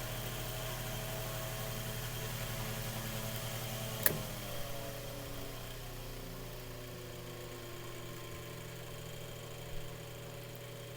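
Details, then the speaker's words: Mainstays 9-inch high-velocity fan on high speed after servicing (motor oiled, blade balanced): steady, even whir with a constant low hum and no rattle or scraping. Normal running. "so that's on high speed actually guys i want you guys to hear that again just that distinct sound that that it makes when it runs"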